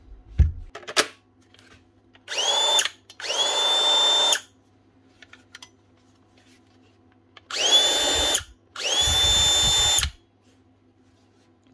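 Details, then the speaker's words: Makita planer (warranty repair) after spindle/drum reassembly, test run: two pairs of short bursts spinning up to a steady high whine, no rattle or grind; motor turns the correct direction, runs fine; normal motor run. "Working fine. And she's going this way. Is correct."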